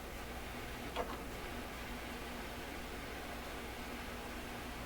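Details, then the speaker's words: Canadian Admiral YS-3610 record player during restoration, needle touched: only a steady faint hiss and one small click, no sound at all; amplifier passes hiss but no signal, cause unknown. "Nothing whatsoever. They're really not very good signs. The hiss and the combination of nothing, not a very good sign."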